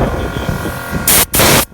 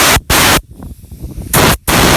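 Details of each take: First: VIAIR onboard air compressor: steady motor hum with low throb and rushing air, cutting in at 160 and off around 200 psi, a small leak at the air chuck fitting; normal operation. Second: VIAIR onboard air compressor system, two sharp bursts of hissing then faint steady hum; air leaking at the air chuck fitting, not the hose; compressor kicks on at 160, off near 200 psi.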